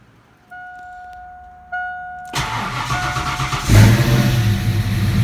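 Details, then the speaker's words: 1987 V8 first start after Promaxx cylinder heads install, battery was disconnected: starter whirs, engine fires, idle rises and dips briefly as computer relearns before settling into steady even rumble; normal idle with brief surge. "Got to get some gas, but it is running smooth. The computer is just trying to learn a little bit. I had the battery disconnected, so it'll surge for a minute and then clear out."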